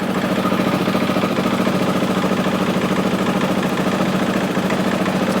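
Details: 2003 Honda XR400 brought in not running, after valve clearance and cam timing checks, started after 365 kicks with idle turned down: steady, even thumping idle at a low, regular pulse with no knocks or misses; runs cleanly, normal idle.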